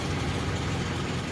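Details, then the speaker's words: Daihatsu Zebra/Espass idling steady and smooth with no misses or knocks, running without the fuel pump (rotak) relay under the steering column; pump still works normally. Normal idle. "jadi ini ya retaknya dia masih bekerja dengan semestinya dan Awet awet aja walaupun tidak menggunakan relay"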